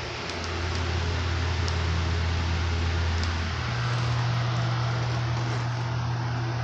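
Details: Restored flea-market 16-inch four-blade Toshiba oscillating table fan: steady low drone with rushing air and airplane-like sound, pitch stepping up slightly midway; smooth, no rubbing or rattle, healthy.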